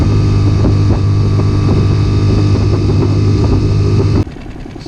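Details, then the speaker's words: Circa 2020 Mercury 6hp four-stroke outboard, after carburetor cleaning (jets cleaned with carb spray) for stalling, sputtering and power loss since winter storage: even, steady low drone with regular firing beat, running good as new. "Running pretty good. Give it some more test runs."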